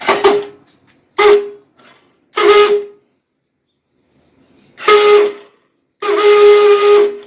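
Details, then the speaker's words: Hero HF Deluxe bike self-starter pressed five times, each a loud steady horn-like whine; the starter motor's bushings are dry and clogged with brush dust. "सुना आपने आवाज इस type से आवाज ए रही है और सेल्फ स्टार्ट 2017 मैं आपको आवाज सुनने वाला हूं तो यह आवाज किस लिए आई है"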